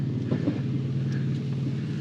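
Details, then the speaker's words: Front brakes just swapped, small CV boot tear found on this car: dull knocks over heavy road and wind roar while driving over bumps; front suspension clunk, owner suspects bad sway bar end links, unconfirmed. "Clunk. All the clunks. I bet you the sway bar end links are bad."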